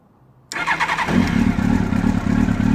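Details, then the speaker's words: 1999 Yamaha R1, carbureted, on a stand, cold: engine fires and keeps running with a slightly lumpy, bouncy cold idle that settles into a steady beat; it had been dying after three seconds. "running it's still running it's cold so it's kind of bouncy it is a carbureted bike and we're still running"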